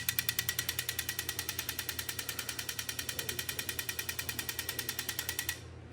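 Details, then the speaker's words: Engine-off injector pulse test on a turbo M52B28-swapped BMW E46 (Link ECU, new injectors): crisp, even ticking heard through the inlet manifold as each of cylinders one to six pulses. All injectors firing, coils also checked good. "so all the injectors are firing we just did the same thing for the coils just to make sure those are all good"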